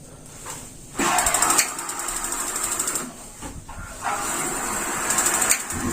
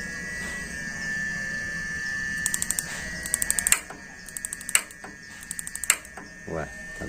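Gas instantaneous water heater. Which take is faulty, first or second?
second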